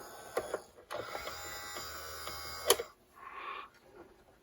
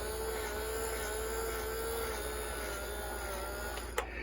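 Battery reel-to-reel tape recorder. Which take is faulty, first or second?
second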